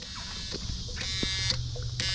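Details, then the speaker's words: 1991 Jeep Cherokee Briarwood: a harsh electric buzz pulsing about twice a second over a low hum from the security system module's buzzer; unplugging the module stops the buzz but does not deactivate the security system. "but unplugging it only makes the buzzing sound just go away"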